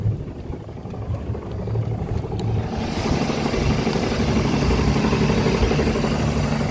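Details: Volvo Penta 4.3GL-E SX stern drive at idle: rough running with a dull, uneven knock about four times a second; cause unknown.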